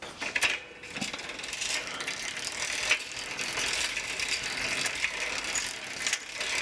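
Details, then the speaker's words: Old Sears three-speed bike with a Shimano 3-speed hub, pedaled through first, second and third just after oiling the hub. Light, quick, even, crisp ticking from the hub pawls: a healthy ratchet. "So let's give it a couple of pedals here. Let's see what it sounds like. If it sounds any different."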